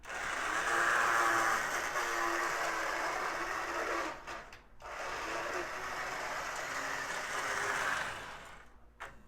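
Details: Lionel #50 switcher, a known "growler", running in reverse on track: loud raspy buzzy whir cutting out briefly; small motor growls badly.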